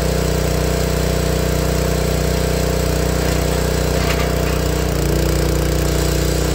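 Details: Honda GX160 log splitter engine after replacing the failing spark plug that caused popping when warm: smooth, even beat with no pops or coughs, a slight pitch shift late on; runs clean.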